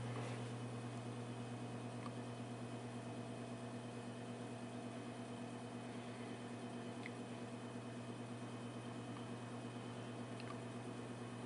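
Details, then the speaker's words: Vintage Arctic Air fan partly reassembled after hub cleaned and reattached, oscillation control tested: quiet steady hum, faint occasional tick, no knocking or rubbing; normal operation. "yeah seems to work just fine loosen it up she stops oscillate"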